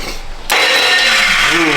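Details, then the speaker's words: Duramax diesel truck build, cranking: harsh, high-pitched grinding whine that bends in pitch as the engine turns over, the nasty start-up noise traced to the starter. "that's a starter that's what that noise is that's a starter"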